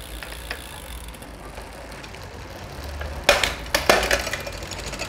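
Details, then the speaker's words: Bicycle front derailleur after cable tension adjustment: quiet pedalling, then a couple of crisp metallic clinks as the chain shifts across the rings, no scraping or rubbing; downshifts clean. "Düşüşlerinde de herhangi bir sıkıntı olmadı."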